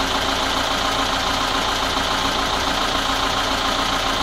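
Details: VAZ 21213 petrol engine at idle after valve adjustment and timing chain tightening: steady, fairly regular tapping about three to four times a second; owner suspects the camshaft, source undetermined.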